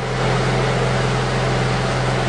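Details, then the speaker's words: Honda Accord VTEC after timing belt and balancer belt replacement, covers still off, test run: steady, even idle, smooth constant hum with no shake, knock or vibration; engine running balanced. "sounds good to me no problems and no vibrations"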